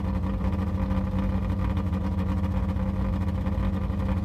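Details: Yugo small petrol engine idling with a loud, rough puffing rhythm from an exhaust leak, with carbon monoxide a concern.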